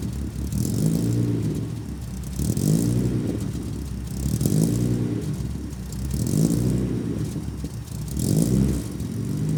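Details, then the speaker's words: Datsun 280Z with FAST EZ EFI retrofit, driving: engine pulls strongly then sags and surges every couple of seconds, cutting out under acceleration; AFRs swing 13–14 instead of 13.5, system runs rich. "As you can hear, whenever I accelerated there or whenever I revved it, it did fine, and then it started like cutting out."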